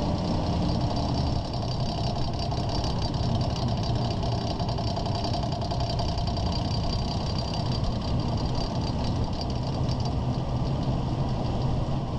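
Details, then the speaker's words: 2001 Ford Ranger 4x4 driving at about walking speed: steady loud clicking rattle under the truck over road and engine rumble, also with vibration felt at 50–60 mph; caused by a worn front driveshaft CV joint. "I've had this annoying loud clicking rattling sound coming from the bottom of the truck my speeds are about walking speeds and you will tend to hear it very loud"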